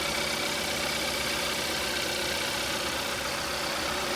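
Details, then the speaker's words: Kia Rio (2012–2017) 1.6L freshly installed engine idling, heard from underneath during leak check: even, steady idle with constant hiss and hum, no knocks, ticks or leaks standing out; healthy, to be idled without revving until fan cycles twice. "What I like to do after I have it running, you let the car run until the fan comes on and off twice. All right, don't rev it up, don't race it."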